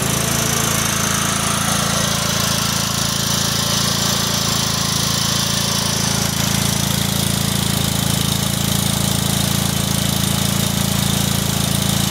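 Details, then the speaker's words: Kohler Command CH16S engine in a Cub Cadet 2166, after reinstall and reseal/electrical/starter refresh: steady even putter at constant idle, no knocks or misses; runs good, warming up after cold start. "all right it runs good let's take it outside and let it warm up"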